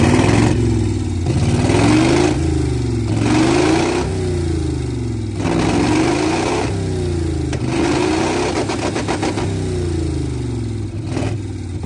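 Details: Four-wheel Alvis Stalwart petrol engine running for the first time in over 30 years, throttle worked via twine to the original pedal: steady running with rhythmic rise and fall of revs, oil pressure up, no knocks or misses.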